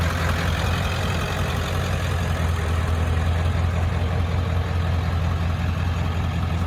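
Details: 1995 Ford F-350 dually, 7.3 Powerstroke diesel, five-speed manual, about 121k miles, serviced: low even diesel idle with steady exhaust rumble, no misses or knocks; normal healthy idle.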